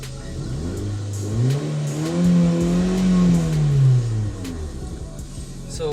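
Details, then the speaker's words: Car revved, heard with window down: loud raspy roar rising and falling with revs, far louder than normal; hole in the silencer lets exhaust gas leak out before the muffler, fix is replacing the leaking pipe section. "So என்ன ஆயிருக்குன்னா சைலன்சரில் வந்து whole இருக்குது. So அதனால் என்ன ஆகுதுன்னா இன்ஜினோட exhaust gas வந்து silencer muffler மூலமாக நாய்ஸ் ரெடியூஸ் ஆகி வெளியே போகிறதுக்கு பதிலாக முன்னாடியே லீக் ஆகுது."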